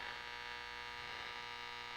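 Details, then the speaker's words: Nordmende Othello Z 320 radio on the broadcast (AM) band with ferrite antenna on: no stations, only static with a pulsating buzz; band switch wiring was misassigned, broadcast wired to shortwave 1. "Nothing. but static and a pulse. It's pulsating. I don't know if you can hear it."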